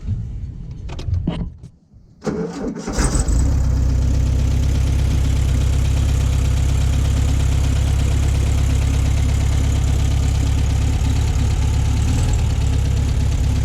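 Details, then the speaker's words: 1966 VW Beetle, non-original but correct rebuilt engine, 6-volt car: a few cranking turns, then it catches at once and settles into a steady, even idle at about 220 pulses a minute; healthy start. "But the motor's rebuilt. It started right up."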